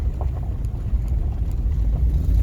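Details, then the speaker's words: 2002 Ford Expedition V8 on a test drive, accelerating: deep uneven exhaust rumble with faint ticking from an exhaust leak, suspected at the donut gasket, possibly another leak underneath, not yet inspected. "you can hear when I put on the gas, you can hear that exhaust leak. Most of the time that's up by the donut gasket."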